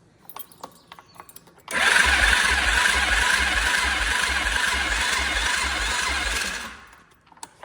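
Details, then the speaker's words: 2010 Polaris quad with its OEM carb, which the seller said needs a spark plug and which is suspected of having no spark: a harsh, whirring starter turns it over at about four compression pulses a second for roughly five seconds, but it never fires. "That starter doesn't sound good, but um it's definitely turning over."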